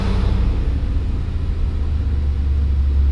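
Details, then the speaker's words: 2021 Range Rover SVR V8, salvage car previously misfiring and struggling, now running after jumper pack and charger on weak battery, engine light off: deep, steady rumble at idle, slightly lumpy but no knocks or misses; normal idle. "now seems to be running okay have we just got like welll looky and just put a charger on it's fine how did it go from sounding terrible like it sounds it feels a bit Rocky but it's a V8 is it yeah massive one"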